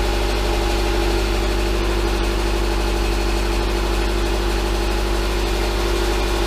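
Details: 2011 Subaru Impreza with EJ253 boxer petrol engine (non-AVLS block, AVLS heads), first start after rod bearing failure repair; steady, even, low idle with no bottom-end knock, slight exhaust shield rattle quieting down. Normal idle.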